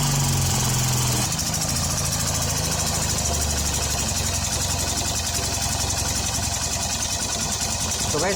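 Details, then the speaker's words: Hero Honda CBZ Xtreme single-cylinder bike after tappet (valve clearance) adjustment: steady even idle, no sharp top-end ticking, smoother than before; normal idle. "आवाज पहले से ज्यादा smooth हो रही है"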